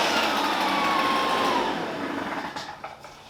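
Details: Shindaiwa EB802RT commercial backpack blower after new carb gasket (old lacked crankcase pulse holes), previously died on acceleration: high, buzzy two-stroke runs smoothly, holds speed, then winds down cleanly at shutoff; healthy.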